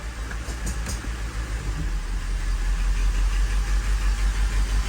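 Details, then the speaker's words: 1985 Mercedes 500SEC Euro V8, warm, in drive at low idle: deep idle pulses unevenly, lurching about three times a second; misfire appears after warm-up when idle drops. "there is something that's causing it to have a misfire at lower Idols"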